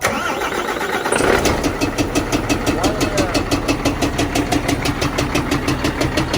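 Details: Renault tractor-unit diesel starting and idling with a loud, sharp, regular knock about three per second over the clatter; owner suspects a faulty injector.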